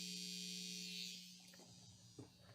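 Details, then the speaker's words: Vintage Marshall Plexi 50W running 412 and quiet until chassis slightly shifted: steady gritty buzz for about a second, then dies away when chassis moves again; intermittent buzz, source not yet found. "There we go. Just a slight shift. Now listen to it. It's got a gnarly buzz."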